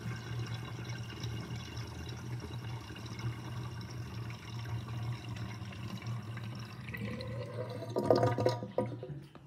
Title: Interesting kitchen sinkdrain with my new sinkdrainbasket with gurgling sound (2)